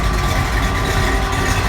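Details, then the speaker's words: Engine for a 1929 Ford Model A pickup on a test stand, battery had been dead, running about half an hour at idle, oil pressure around 20; steady even idle with fans running, no knocks or misses, running good. "It gets lower depending on how fast it's idling. But it's running good. You hear the fans running."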